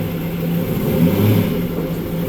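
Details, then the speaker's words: Trans Am with rebuilt TH400 automatic, trans brake fitted: steady, even engine hum in gear with no whine, clunk or grinding; previous awful noise gone; normal transmission in gear. "you put it in gear. It ain't making that noise now."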